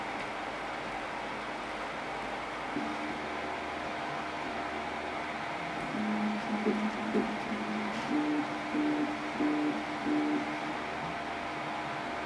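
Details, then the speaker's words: Eight-year-old Prusa i3 clone 3D printer after A4988 stepper drivers were replaced with TMC2208s: only the steady power-supply fan hiss with faint soft motor tones underneath; the steppers now run quietly. "so other than hearing the fan from the PSU this thing became quiet you can't hear anything going on"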